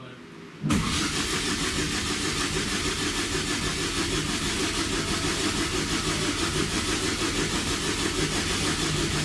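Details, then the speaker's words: Rebuilt five-cylinder race engine, first start after rebuild while priming for oil pressure: starter spins engine evenly about three beats a second, no knocks or binding; expected to speed up once oil pressure builds. "it'll quicken up in a second watch the second it builds oil pressure you'll hear the engine speed up"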